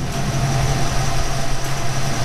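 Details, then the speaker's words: 1991 Ford Mustang GT Fox body convertible in neutral after bellhousing/clutch fork repair for a rattle that eased when the clutch pedal was lightly pressed: smooth, even idle, slight vibration, no rattle from the bellhousing. "slight vibration but holy dyna is that a lot better and no more noise"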